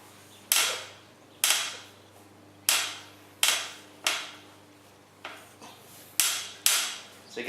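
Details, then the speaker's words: Bicycle frame giving sharp, bright clicks about once a second with a short creaky decay under sideways pedaling pressure, not when riding straight; cause unknown. "it only happens when you push it like sideways if you're riding in a straight line you don't hear it"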